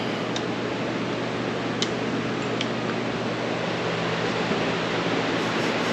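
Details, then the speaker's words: Modine gas shop unit heater after repair, thermostat set to heat at 75, pilot lit: steady low fan hum with even burner roar, no pops or surges, no fireball; owner suspects earlier trouble was excess air with covers off; normal burner and fan operation. "Burners are on, actually. I wonder if it was just getting too much air in there having all the covers off. Because that's all on and running."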